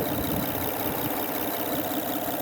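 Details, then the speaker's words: 2005 Honda Odyssey 3.5 L, almost 250,000 miles, top cover off, after timing belt refitted with new tensioner; smooth even idle, ticking gone, injectors faintly audible — normal idle after repair. "Car runs beautiful. It has almost 250,000 miles, or about I think 400,000 kilometers on it, and the engine runs beautiful"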